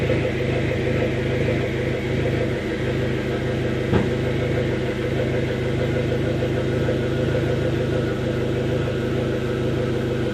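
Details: 2005 Dodge SRT-4 turbo petrol engine with intermittent stalling, hesitation and a lean air-fuel ratio: slightly uneven, lumpy rough idle, fixed by replacing the upstream oxygen sensor.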